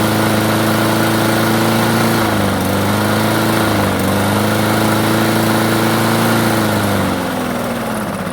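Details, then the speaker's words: Craftsman self-propelled mower, carb previously cleaned: starts and runs only at low idle, stalls when self-propel engages or when cutting. Drones at a low flat idle, pitch sags twice, never picks up speed; suspected clogged carburetor. "it'll start it'll run uh but it will run just at a low idle and as soon as you try to engage the wheels or you know cut through anything it stalls out"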